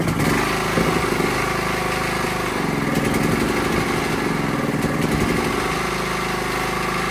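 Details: Honda GX270-type small engine after valve clearance adjustment, bottle-fed fuel: steady, even, quick putter with no misses or ticking, smoother and quieter than before; normal running.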